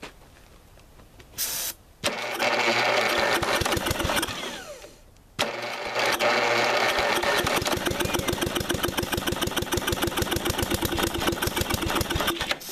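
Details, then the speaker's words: 1985 Lawn Chief mower, 11 hp Briggs & Stratton, cranked after starter fluid and a new Champion plug: two bursts of uneven chugging at 3–4 beats a second without catching. The engine binds with internal knocking; the owner suspects the piston is topping out or something broke, though compression seems present. "well guys as you saw just recently it was kicking over but now when you go to turn it it makes it that far and then won't make it any further and there's definitely something knocking inside the engine"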